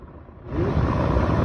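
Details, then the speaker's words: Tesla Model S (2017 blower part) cabin blower fan at speed 11 after its motor was serviced and lubricated, surging to a strong, steady, smooth rush of air; it previously did not blow. "А теперь работоспособность идеальная."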